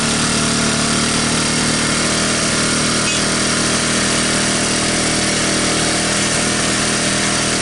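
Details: 1985 Honda ATC125M single, revived after seizing, PZ27 carb and portable 12V CDI, just after cold start: loud, fast, steady buzz, even with no missing or knocking; runs normally.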